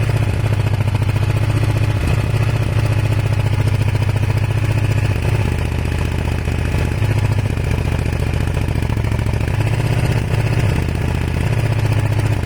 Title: Kawasaki er500 white smoke misfire broken head gasket? advice needed please